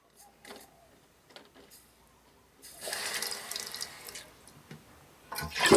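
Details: Toilet flush test after replacing the leaking, noisy Fluidmaster fill valve and adjusting the water level: quiet handling, then a clean rush as the bowl flushes and the tank refills smoothly; normal.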